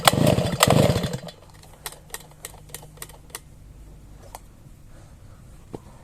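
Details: Sviatiaz BT-430 petrol brush cutter that stopped starting after a refuel. Engine catches for a second on the pull, then dies, leaving only starter rattle. Plug is soaked again. Flooded engine with a fouled spark plug; a new plug started it first pull.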